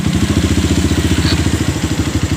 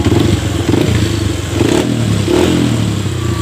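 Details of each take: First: Honda CRF fuel-injected motorcycle that dies after about 15 minutes when the tank is low, recorded with low fuel: fast idle thumping that rises and falls; suspected clogged fuel pump not holding pressure, to be cleaned; idle surging from low fuel pressure. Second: Honda CRF fuel-injected bike with a complaint that it dies on low fuel; tank drained to about 1 liter, nearly empty. After a few blips it settles to a steady, even idle thump and keeps running, no longer dropping out.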